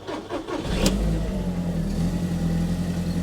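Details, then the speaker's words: Audi TT Mk1 Roadster with known lumpy running and electrical faults (split wiring), just started for an OBD2 scan: engine catches and settles to idle but the beat wavers unevenly; rough running after start. "can probably hear there it's a little bit lumpy but what we'll do is we'll run a full scan now on the car"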